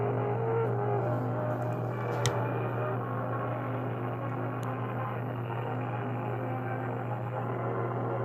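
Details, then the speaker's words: Webster-Chicago 81-1 wire recorder playing music recorded too hot, volume and tone at max, listen mode: thin, muffled, harsh crushed sound yet quiet, oversaturated. Distorted playback. "It is oversaturated, but I don't know if that's the proper term, but it sounds like it's being played at max volume even though it's very quiet. And that's because of how hot the music was coming in."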